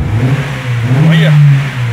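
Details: Fiat Strada 1.8 E.torQ after camshaft phase sensor replacement for fault P0340 and lack of power; it previously would not pass 3,500 rpm. It climbs smoothly in a quick rev and falls back cleanly with no hesitation, revving freely.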